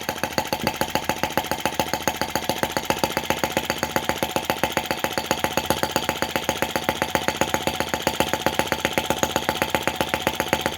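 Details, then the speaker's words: Brass half-tracked Lanz-type T16B model tractor on its first run, in reverse. A fast, even single-cylinder putter holds steady with no misses or knocks: normal running in reverse. "Oh, I was hoping it would be slow revving, and that's just great."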